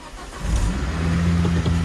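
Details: Volvo V70R, right after start as idle settles: steady low droning whine under the idle, a newly developed fault that sounds like a failing power steering pump.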